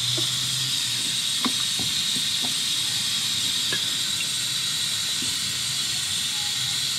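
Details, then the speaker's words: SR20DET (S13/180SX/240SX) intake pressurised with compressed air at 10–15 psi through the turbo inlet: steady high-pitched hiss from a leaking throttle body gasket at the bottom of the throttle body; idle was slightly rough. "you ready i hear a vacuum leak"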